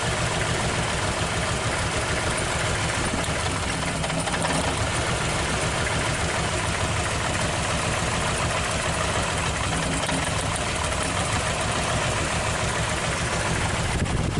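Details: Toyota Corolla DX engine shaking hard at idle with a dull, uneven, limping beat; cylinder 1 doesn't react when its plug wire is pulled, a dead cylinder; owner suspects the spark plug or worn plug wire.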